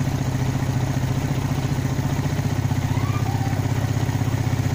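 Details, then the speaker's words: Carbureted motorcycle, idle now mostly settled: as the throttle opens slowly it chugs and stumbles unevenly before it finally revs up; carburetor hesitation (brebet). "sekarang Donald perhatikan ketika gas ini kita buka sedikit aja deh dengarkan ya kita buka gas sedikit kita pelintir nah dia ada berubah sedikit nanti lama-lama dia akan teriak dengarkan"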